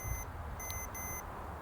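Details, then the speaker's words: Trailer brake wiring with low 7.5–9 V, continuity tester on a pulled wire: beep sounds, cuts out, returns and drops again as the connector moves, a dead spot from a break inside the wire. "See that? There's a dead spot. There's your problem."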